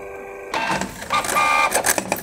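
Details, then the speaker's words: Canon Pixma G3110 inkjet printer making a copy: carriage whirs across with a few sharp knocks during printing, though print quality remains good; cause not yet determined. "Ela tá apresentando um barulho, um durante a impressão, tá?"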